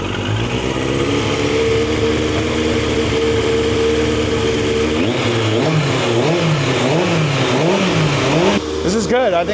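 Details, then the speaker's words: Turbo Yamaha motorcycle stored about 40 years, after cleaning debris from the carburetors: steady, even idle, then quick throttle blips that rise and fall cleanly; revs freely and runs faster than before. "It runs faster than before."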